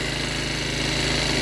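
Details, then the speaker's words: 50cc Chinese scooter just revived after sitting, still cold: fast, steady buzzing idle sitting a little high; owner suspects fast warm-up and turns the idle down. "I'm waiting to see if that's warm up or not I think it's fast warm up so I'm going to take a little out"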